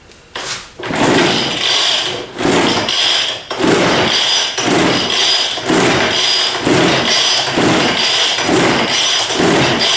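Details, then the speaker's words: Old Weed Eater 940 power blower, choke on, throttle fast: repeated rasping cord pulls, never fires; fuel present, carburetor suspected plugged. "i did check the the fuel there is fuel in it my assumption is that this has just been sitting a while the carburetor is probably plugged up maybe completely plugged up"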